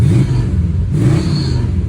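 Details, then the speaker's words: 1965 Chrysler 300L V8 after ignition, kickdown and charging-system work and alternator replacement; deep, even rumble pulling away with no stumble, running much better, belt slip noted as an indicator; normal running. "I can tell you it's running much better the belt slip's a good indicator too"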